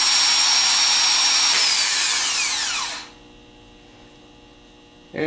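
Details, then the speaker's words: Rebuilt Nippon Denso starter with new battery-side contacts, bench-tested running free: high, even whir at full speed, then a clean falling spin-down with no grinding or rattle; normal starter free-spin. "the seasoned ones they mainly go by the sound so we're going to try and hear a nice smooth run and we want to hear to achieve a certain rpm like this"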